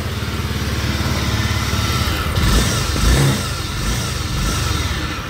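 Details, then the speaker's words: Honda Vario 125 scooter with a rough engine: a deep, coarse rumble under the engine note swells as it's revved, typically caused by a worn left-side crankshaft bearing; the engine is then split open. "oke Bisa jelas ya untuk suara motornya jadi suara motornya bergemuruh nah ini biasanya disebabkan oleh bearinguk as khususnya bagian sebel seb sini ya sebelah kiri kalau misalkan posisi ke depan ya bearing kuk asnya"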